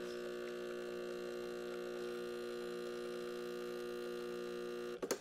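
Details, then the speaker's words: Breville Barista Express pulling a programmed espresso shot that stops automatically, pressure in target zone: steady, even pump buzz with no stutter or surging until shutoff; pump running normally. "hit program, hit the button you want to program, and there it goes. It'll stop automatically for me too."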